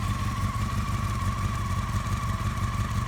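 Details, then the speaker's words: Honda FireBlade four-cylinder in revival, running after fixing no-spark and bypassing the kill switch, coolant unchecked: steady idle with even low burble and constant light whine, no misses; doesn't sound bad. "let it run for 10 or 15 seconds doesn't sound bad there we go I can't believe it I got this thing running"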